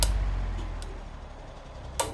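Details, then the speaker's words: New Usha Farrata 500 mm pedestal fan, motor heard up close: a low, steady, smooth hum with a couple of light handling taps; healthy fan motor. "ये मैंने on किया, motor का आवाज़ नज़दीक आइए, नज़दीक आइए, देखिएगा मोटर की आवाज़, मोटर की आवाज़, हल्का सा साउंड है, मोटर की आवाज़,"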